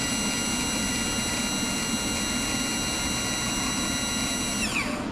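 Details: Yamaha F-115 outboard Showa tilt and trim unit, bench-tested after a seal kit and new pump, filled with ATF and powered by direct leads: an even electric whine at steady pitch for about five seconds, then a clean stop; normal pump operation.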